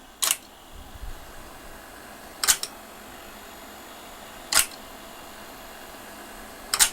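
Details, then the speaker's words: GAF model 102 Rols (Rologram) dictation machine, pre-restoration, beltless mechanism lubricated on original parts: quiet motor hum with a crisp tick about every 2.25 seconds as the head sweeps back and forth; normal clockwork-like mechanism ticking. "can hear if you can see the head sweet back and forth with a nice periodic tic sound which kind of gives almost a feeling of clockwork"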